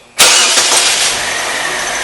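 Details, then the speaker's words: 2006 Saturn Ion after repair of a random misfire (P0300, cylinders 2 and 3): quick crank, then a steady, even idle with no stumbles; misfire counter reads zero, running normally. "Actually, it runs really well."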